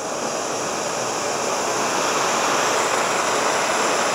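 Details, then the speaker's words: Oxy-acetylene cutting torch, oxygen cylinder valve fully open (tank about 150), fuel gas set until smoke turns light gray, then oxygen added slowly: even, steady hissing roar, not loud or screaming, no popping; inner feathers about a quarter inch off the tip. Correctly set neutral flame. "that's a nice neutral flame you can see that it's not loud and screaming"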